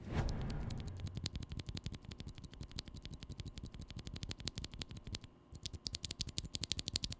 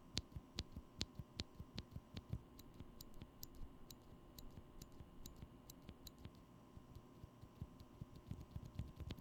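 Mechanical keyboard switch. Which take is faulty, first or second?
first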